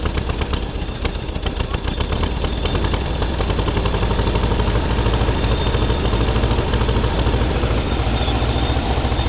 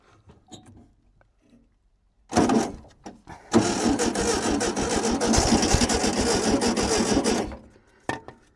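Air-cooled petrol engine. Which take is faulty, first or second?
second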